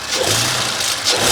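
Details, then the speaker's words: Audi B9 RS5, turbo engine, at loud cold-start idle with the mic placed close: a harsh metallic rattle rides over the engine noise. "And you can probably already hear it. It might be a little loud, but it just sounds like metal rattling and it sounds terrible."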